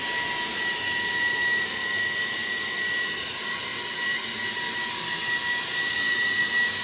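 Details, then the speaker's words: Boeing T50 jet turbine-powered Camaro driving under load, gauges all good, coming down nicely from high RPM: steady high jet whine with sharp even tones holding smoothly; turbine healthy, running cleanly. "What a great ride. Coming down nicely from the high RPM too."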